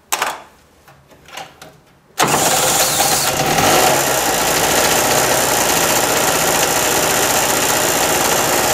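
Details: Harbor Freight mini generator, flooded after storage with fuel valve left open, now restarted: cranks, catches after about two seconds, settles into steady buzzing run with no misses, powering an electric heater; normal running.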